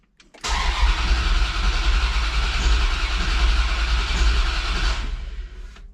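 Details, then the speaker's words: Dodge Dakota R/T 5.9L Magnum V8, new heads and cam, first start attempt after priming fuel. Starter churns steadily at about three and a half turns a second with no catch or firing; crank-no-start from ignition timing, distributor sitting 180 degrees out. "Nothing yet. Okay, so we're gonna check for spark."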